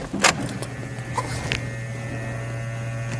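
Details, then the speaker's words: Chevrolet Cruze after engine replacement, key-on before first start: a few clicks, then a steady low electric hum with a faint higher whir; fuel pump priming normally, tank low on fuel. "I can hear the pump running. Actually, this thing doesn't have enough fuel in the tank."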